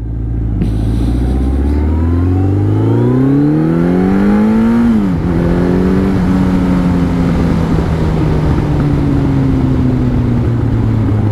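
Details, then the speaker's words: Yamaha XJR1300 inline-four on a pre-collection road test: revs climb smoothly, then the exhaust crackles and bangs on the overrun; normal, typical XJR overrun pops. "Some bangs like the proverbial. Lovely, lovely sound. As you expect from an XJR."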